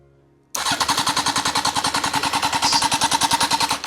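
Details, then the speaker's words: Honda Fireblade motorcycle engine for a kei truck, after fixing a tampered wiring loom, kill switch off: starter engages sharply and spins the engine about three even pulses a second for three seconds; normal cranking. "I'm just so relieved that it actually turns over"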